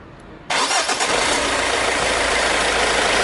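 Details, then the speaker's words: Engine running with the accessory belt removed: starts at once and idles evenly, no knock or squeal. The noise is therefore from the AC compressor, alternator or tensioner pulley bearing; a broken aluminium-rubber damper pulley was found earlier. Normal idle. "الموتور صافي ما فيش يحس، الموتور صافي ما فيش يحس."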